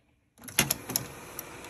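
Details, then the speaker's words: 1976 Sony SL-7200A Betamax player eject after fitting a new belt: short mechanical whir with crisp clicks as the tray lifts, no grinding or hesitation; normal eject mechanism. "ah look at there beautiful just like it's supposed to gives me the tape back and it all looks nice"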